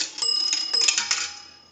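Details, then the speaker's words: 233G three-slot payphone during checkout after repair: dime deposit rings the bell, bright strikes with long fading ring, no rattle or dull clunk; dime should ring twice; normal coin signal. "We're going to use a dime. That'll ring the bell twice."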